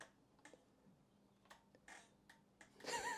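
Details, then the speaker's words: 2017 Honda MSX125 Grom at 2,773 miles, ignition on with the battery at 12.4 V and the right indicator stuck on: faint, uneven clicks at irregular spacing, not a steady flash rhythm; indicator relay fault suspected. "we have right indicator permanently on let's see if they even work the hell was that noise the relay did not sound good"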